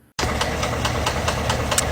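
Sharp, regular knock roughly four to five times a second riding over a steady idle; a loud internal knock, cause unknown.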